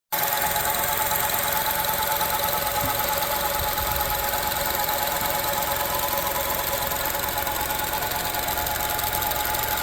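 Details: 2006 Honda CR-V with a steady, even hum over the running engine, no change in pitch or rhythm; the source of the humming noise is unknown.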